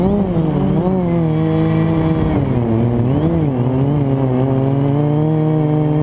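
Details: FPV quad flown with a bad motor bearing, before it was oiled and replaced with a spare; buzzy motor whine swooping with throttle, wavering and rough; quad twisted on full throttle; worn bearing in one motor.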